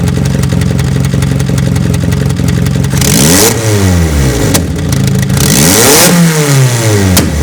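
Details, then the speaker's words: Toyota 4A-GE with bike carbs and a gaping exhaust manifold hole (failed wideband sensor adapter plate): raw open bark on each throttle blip with sharp pops and crackles as revs fall, flames from the hole; exhaust manifold leak. "we also answer another question before EG put a hole in the exhaust manifold not like I know like tractor with a monster truck engine or something yeah sounds like it as digestion problem"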